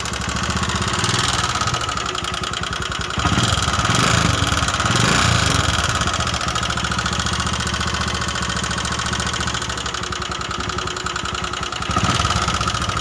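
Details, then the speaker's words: Honda Megapro New 150cc, rough and noisy, smoking, down on power and using excess fuel, worse when hot; harsh, uneven clatter over a rough idle, about three or four beats a second; worn piston, cylinder and valve guides. "dan yang pasti Suaranya sangat kasar ya Lur dan motor pastinya loyo dan BBM aja yang boros karena suara kasar dan motor jadi gak enak ya"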